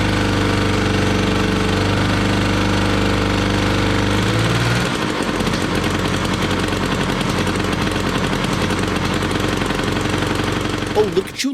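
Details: 1968 Ski-Doo Super Alpine, 370 opposed-twin Rotax two-stroke, first start in 2 years, cold start at −23 °C on choke: crackles and pops unevenly with wandering beats; owner suspects a clogged muffler. Rough running.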